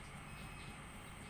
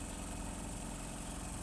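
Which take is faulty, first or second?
first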